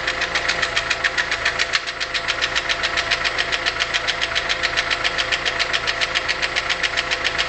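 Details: VW Polo 6N 1.4 L: crisp evenly spaced ticking on top of the running engine at a steady beat, with power loss and stumbling; a hole in a hydraulic lifter found as the cause.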